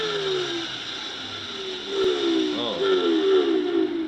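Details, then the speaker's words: Electrolux 280 vacuum cleaner with the cover off, before repair: a steady high whine over a motor hum that wavers and sags unevenly; motor whine, possibly needing lubrication. "so I turn on the power switch I fiddle this bit doesn't sound very healthy let's just hear that again"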